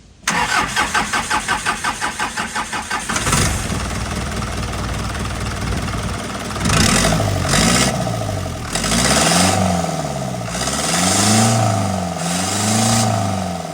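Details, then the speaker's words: Isuzu truck engine that would not start due to incorrect timing and tight valves, after valves adjusted properly: steady cranking for about three seconds, then fires and runs with clean revs settling into even idle; healthy start. "As you can see the engine is rotating freely. All the valves are adjusted properly."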